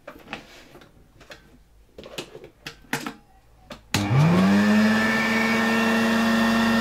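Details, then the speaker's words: 1964 Polish Gamma II vacuum cleaner with its repaired motor reinstalled, running on a workbench: after some bench clatter the motor spins up, its hum rising in pitch then holding steady and even. Healthy, though noisy on the bench. "This vacuum cleaner is a bit noisy here, sitting on my workbench, but otherwise much quieter."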